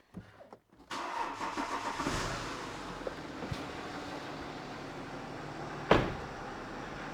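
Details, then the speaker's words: BMW 525d F11 diesel, first start after engine rebuild and reinstall: short crank, clean catch, then smooth, surprisingly quiet, even idle with no knocks or rattles; normal start and idle. "That's crazy how quiet it sounds."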